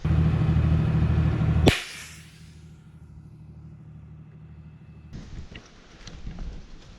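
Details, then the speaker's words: Old Detroit Diesel truck "Barney", driven in low gear over a hill near the shop after air lines were hooked up: heavy diesel rumble under load, then a sharp bang as a tire blows out, not an air line. "we drive it up the hill here and start to make it down the other side and it blows a tire like literally like blows a tire"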